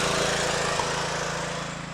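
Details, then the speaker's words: Kawasaki 9hp single-cylinder engine after carburettor gasket work; fault was a cracked spark plug, though it was new, now replaced: steady even firing with smooth regular exhaust beat, no misses; running normally, just a plug problem. "Ah, écoutez-le. J'espère que vous entendez le son. Juste un problème de bougie."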